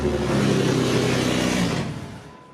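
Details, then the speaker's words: Salvage-auction Jeep Cherokee with replacement PCM not matched to the SKIM key module: engine starts and runs strong about five seconds, then shuts off; immobilizer cutoff, fixed by junkyard PCM, SKIM reader, key and tumbler set. "Check this out. We'll start it up. It'll run for 5 seconds."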